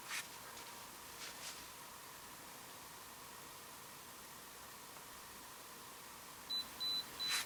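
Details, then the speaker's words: Kaiweets HT112B multimeter measuring current from a power supply: a few short high-pitched beeps in quick succession, warning that it should be switched to the milliamp range. "Okay, this guy's beeping because he wants to go in the milliamp range."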